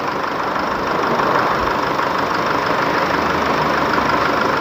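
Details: Isuzu D-Max 4JK1 diesel after repair of leaking injector washers, blocked injectors and cylinder head (previously revved only to 2000 rpm): steady, even idle clatter, no misses or hunting; smooth healthy idle.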